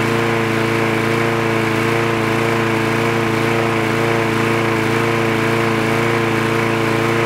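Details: Trash-picked free Craftsman push lawn mower with automatic choke, running after the spark plug wire was reconnected: the small engine holds a constant, steady drone with no surging, misses or rattles; it runs healthy and even.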